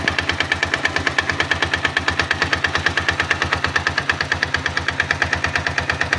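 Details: 162FMG-G single-cylinder engine: loud, sharp, evenly spaced knock about two per second at idle dominating the engine note; source unknown, knocking quieter when the machine is tilted to one side.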